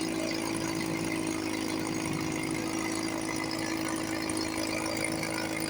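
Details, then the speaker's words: 1954 Johnson 5.5HP outboard, barn find revived after about 60 years with carburetor and cylinder head work, cover on, fuel bulb hand-pumped every few minutes, water pump pumping nice. Steady, even buzz with constant tone, no misses or surging: normal running. "Sounds sweet. run for a few minutes before I got to pump the bowl again."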